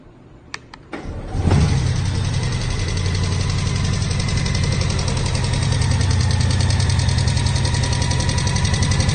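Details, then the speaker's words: 2018 Honda Goldwing with only 2,300 miles: engine starts and idles with a steady, pronounced clicking from the right side of the engine; a right-side spark plug was found severely damaged, indicating catastrophic internal engine failure. "the audio you can hear a pretty noticeable clicking sound on the right side of his engine"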